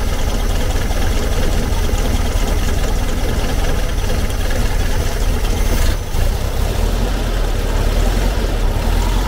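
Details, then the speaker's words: 1970s Volkswagen Type 2 Camper that won't idle properly, sluggish and down on power: steady low lumpy idle that never smooths out after carb mixture screw adjustments; vacuum leak suspected, points not yet adjusted. "you're still running like a pig yeah all right okay um let's uh let's reset that carb and then we'll go from there"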